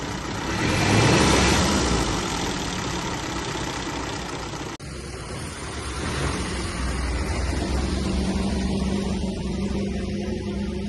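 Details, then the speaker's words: 1934 Austin Seven Ruby, bought non-running at auction, just revived and started first time (a few leaks): settles after a brief blip into a steady, even idle with a regular beat and no misses, knocks or rattles; normal idle. "this that engine sounds absolutely lovely wow that's lovely"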